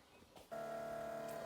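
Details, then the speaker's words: 1957 Chevy Bel Air after the carburetor was rebuilt and remounted: the electric fuel pump clicks on and settles into a steady, even mid-pitched buzz with no surging. It runs normally with pressure at the regulator and no leaks at the bowls. "okay you may be able to hear this you may not be able to hear it but you can hear the fuel pump running we do have physical pressure at the regulator"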